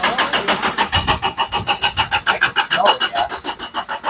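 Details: Amigo: steady even starter cranking about three turns a second, engine never catches despite compression and spark; cranks but won't fire, cause unknown.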